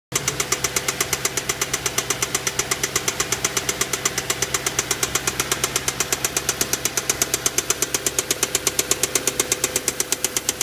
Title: Vw passat w8 problem engine knocking